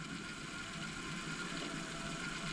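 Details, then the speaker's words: 1991 Kenwood KX-W6020 double cassette deck, one deck playing in reverse direction: steady gritty ratcheting grind from the transport; belts look fine and motors spin, suspected slipping or catching deeper in the mechanism. "And it does not sound that good at all."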